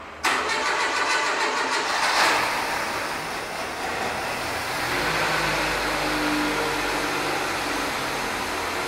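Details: Renault Kangoo after an engine installation, started on petrol only with the CNG system not yet connected: short crank, catches at once, smooth steady idle with no misses or knocks.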